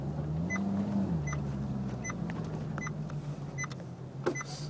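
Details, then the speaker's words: Maserati GranCabrio: light sharp ticks about every three-quarters of a second over a steady low hum; a small click of unknown origin, always present. "Il y a un petit cliquet. Ça vient de quoi ça? Et je sais pas."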